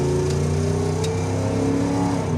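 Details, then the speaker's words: Dodge Charger on road test, warmed up at 180°, oil pressure 75 lb, after readjusting hydraulic lifters: smooth steady drone under light load with no top-end tapping; normal engine running, tapping gone. "the engine sounds pretty good I readjusted all the lifters and uh got rid of that tapping sound"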